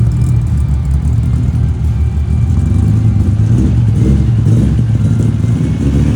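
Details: 1978 Datsun 280Z with newly installed L28 engine: deep, uneven idle that lumps and stumbles; owner suspects timing, unsure whether distributor, fuel injection, tune or fuel pump.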